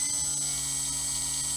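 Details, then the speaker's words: Himax HC2212-1180 brushless power system for a GWS Pico Tiger Moth, run up on a Spektrum AR400 receiver: soft start, then a steady, even high whir at half throttle with no surging or ticking; very smooth normal running. "See that very soft start? You can hardly hear that motor. That's half throttle. Yep."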